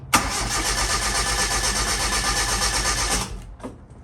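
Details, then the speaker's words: Same engine after the solid-to-hydraulic lifter swap, run up to temperature, then cranked: even, quick starter rhythm with no stumbles or skipped beats, no longer sounding down a cylinder; air in the hydraulic lifters had bled out. "so as you hear it's a really good crank now which is exactly what i thought the hydraulic bleeders just had some air left"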